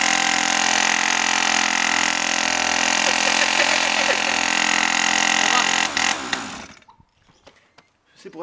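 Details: Pocket cross minibike two-stroke restarted after clearing a clogged passage and fitting a new carburetor: fires up and holds a high, buzzy, even run for several seconds before shutting off; normal running.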